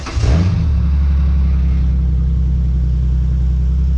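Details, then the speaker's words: Salvage-title wrecked Ford Mustang V6 with possibly custom exhaust, started after a jump; catches quickly then settles into deep, even, V8-like rumble with no knocks or misses; healthy idle. "I'd say sounds pretty good for a v6 kinda sounds like a v8 could kind of feel slightly rumble in my chest pretty good"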